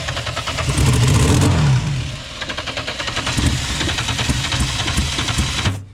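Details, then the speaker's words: VL Commodore cranking with deodorant sprayed in intake and injector cleaner added: repeated cranking with a few uneven firing bursts that never catch, then stops; crank no start, owner suspects a fuel problem. "oh well so what's it's a fuel problem very close to starting"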